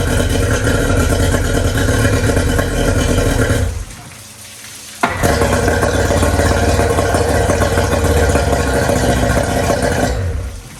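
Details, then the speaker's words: 1999 DuraCraft 1648 bass boat outboard, sat at least six years, running on ethanol gas at wide open throttle: loud, uneven, sputtering beat with a mid-run drop-out; misfire at wide open throttle, owner hopes it's a clogged carburetor jet. "she's a little sputter I let her run for a while and forward and you know wide open it sounds like it's missing a little bit I said it's probably a Clogg jet on one of them carburetors at least that's what I'm hoping"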